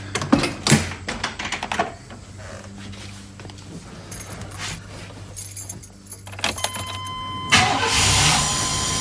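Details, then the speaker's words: V8 started from a completely dead battery using a portable lithium jump starter: handling clatter first, then a short crank, and it catches promptly and settles into a steady, even idle. "as you can hear started right up had enough power to get this v8 going from completely dead"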